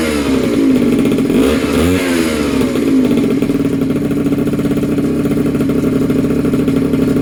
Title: First startup after rebuild. Polini Corsa, PG short